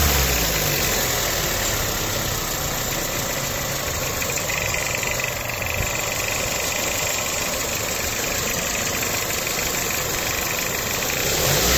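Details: 2007 Toyota Corolla LE at idle: light, fast ticking about three or four per second; suspected belt noise, source not confirmed.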